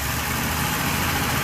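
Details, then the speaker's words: Petrol engine after repair, revved a little: steady even running, slight valve clatter, faint whir from alternator charging a long-uncharged battery, no more groaning or piston-slap-like vibration; alternator bearings earlier suspected unhappy. "I can hear the alternator whirring in other words it's charging the battery because the battery hasn't been charged for a while"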